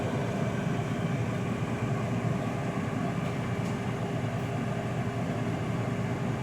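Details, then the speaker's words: Air fryer with temperature set all the way down, only the fan recirculating air during the cool-down cycle: steady, even fan whoosh with a faint constant hum and no rattle; normal cool-down. "all right right now it's doing the cool down"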